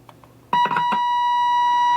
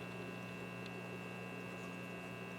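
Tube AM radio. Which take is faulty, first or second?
second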